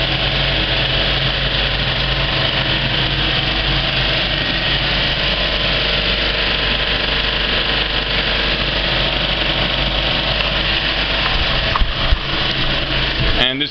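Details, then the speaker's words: Kinoton FP30D cinema film projector with a Speco LP270 platter, properly threaded, running at the end of a film: a smooth, even whir with a steady low hum and no knocks or catches, which is normal. "a really well threaded up projector sounds like when it's running"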